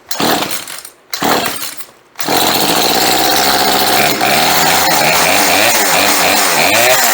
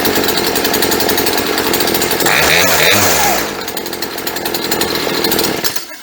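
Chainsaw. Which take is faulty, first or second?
first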